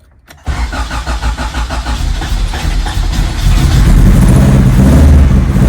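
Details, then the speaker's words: Honda Integra just after fitting a chipped GSR ECU, with aftermarket injectors of unknown size: it cranks, catches and settles into a lumpy, stumbling idle with uneven low thumps. This sounds like a bad misfire on start-up; the cause is not confirmed. "on that sounds like a bad misfire oh man my eyes are on fire"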